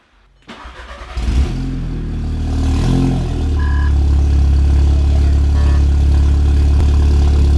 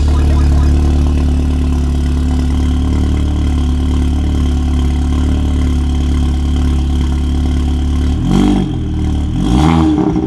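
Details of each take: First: Audi MK2 8J TTS with a TTRS low-pressure fuel pump, after installing a Torqbye PM4: quick crank, catches cleanly, flares briefly, then settles into a smooth, steady idle with no misses. Normal start and idle. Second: Audi MK2 8J TTS with TTRS low-pressure fuel pump, just after Torqbye PM4 fuel pump control module install: deep fairly even idle with a few soft pops and a small blip near the end; popping at idle, cause unknown. Cause suspected, not confirmed.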